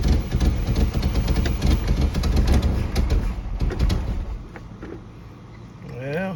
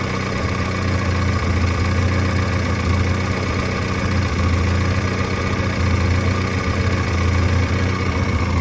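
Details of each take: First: 1986 Pontiac Fiero, ignition tune-up, restarted after reassembly; the owner questions whether a distributor rotor that seized in place was wrong or badly made. A low, uneven chugging at about three pulses a second sputters and fades. Rough, not running properly, cause unconfirmed. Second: 1986 Pontiac Fiero after a tune-up with a new fuel filter and work on the idle controller pintle: a low, even idle of about 800 rpm with a steady throb and no stumbles, and good oil pressure. Normal idle.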